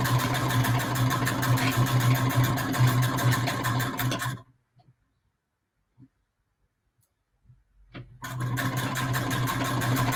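Quick, even needle clatter at a steady pace, stopping for a few seconds of quiet and then resuming just as evenly; the machine is sewing normally.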